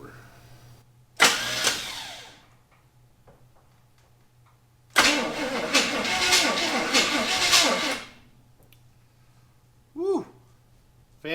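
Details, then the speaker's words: 1974 Chevy Camaro abandoned 24 years, cranked on a newly fitted starter with no coil connected: two bursts of even, strong chugging at about three beats a second, turning over freely; normal cranking with good compression. "clearing engine's turning over [Music] sounds like it's got compression i mean why would they put a starter on an engine that doesn't have compression"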